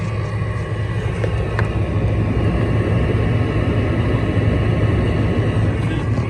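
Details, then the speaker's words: Old window air conditioner running in garage, temperature set to lowest: heavy constant low drone with rough buzzing edge, loud throughout; compressor running loud, head pressure audible. "It's still not worthy of going into the window because it's heavy, it's loud, and it just looks rough."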